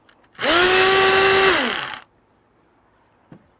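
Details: Old electric pressure washer: a brief burst of steady, even motor hum winding down smoothly when switched off; motor runs normally.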